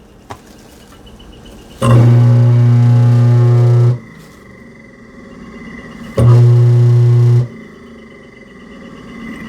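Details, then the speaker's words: Garbage disposal after being freed with a 1/4" Allen wrench from the bottom and lubricated: steady, even motor hum in two short runs, no grinding or rattle; spins freely and works normally after fix. "Okay, you can hear it spinning."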